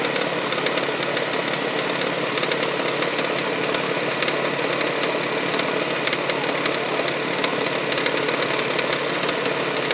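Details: 1999 Toyota Sienna idling with a light, quick, somewhat uneven top-end tap, like something hitting the valve cover; heard at startup, on light revs and around 2300 rpm driving. Began after six NGK iridium plugs and an oil change. Cause unknown.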